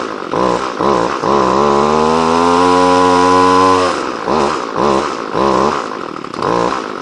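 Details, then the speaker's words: Two-stroke line trimmer (whipper snipper) that was hard to start and wouldn't idle, just started after choke and priming following repair: catches, revs high, then stumbles and surges. The carburetor's high and low mixture screws need readjusting. "still needs a bit of adjustment on the cobby well it's got a few little issues I've got to sort out tune it a bit better"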